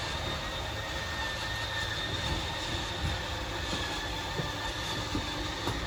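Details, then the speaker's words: 2022 Wildwood 28VBXL travel trailer slide-out at full extension: steady high whine over mechanical rumble as slide motors hold at full travel, normal behaviour before they automatically shut off. "Once that slide's fully extended, you're just going to hear the motors kind of whine a little bit and then they'll automatically turn themselves off."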